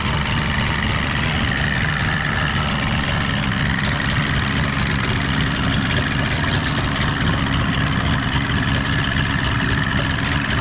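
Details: Stock 49 cubic inch outboard on a restored 13 ft Delta T850 race boat at its first water test: steady, even idle with smooth burble, no knocks, misses or rattles; sounds healthy.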